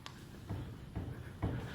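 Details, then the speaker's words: 1998 Toyota Tacoma 4WD, 257,000 miles, front end worked by hand: three dull clunks about half a second apart, movement felt at the upper ball joint with a ripped boot; control arm bushings show no play; worn upper ball joint. "i can even grab it with my hand and feel it that it's really coming from there and i feel the movement it's confirmed"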